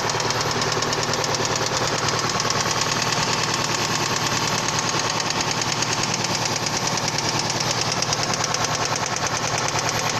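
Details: Toyota Previa 2AZ engine: a sharp, regular metallic knock, just under two per second, hammers through the idle; spun connecting rod bearings on the crankshaft.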